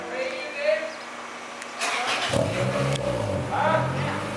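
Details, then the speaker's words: Honda Integra GSR with an eBay exhaust shortened and refitted by a muffler shop, started just off the lift: engine fires into a smooth, even idle with a mellow, steady exhaust note; sounds about the same but good; normal. "it sounds sounds better now it kind of sounds the same but it sounds good"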